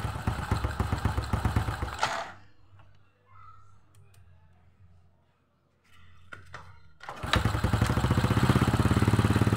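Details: Old Honda Supra X with suspected weak stator and no charging: engine cuts out, then starts on one kick and settles into an even single-cylinder beat; runs healthily while charging is tested.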